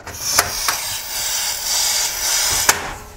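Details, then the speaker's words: Portable butane camping stove, lever pushed to fuel lock: a few lever clicks, then a steady sharp hiss of escaping gas; the canister was inserted without its notch aligned to the lever, so it wasn't seated. "so you heard that hissing noise and that means the canister was not installed properly"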